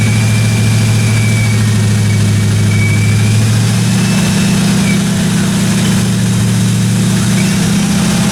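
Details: 1957 Chevy 210 project car, carbureted engine idling during roughly 20-minute cam break-in run: steady, even low rumble, no ticking, knocking or other weird noises from the valve train; normal idle.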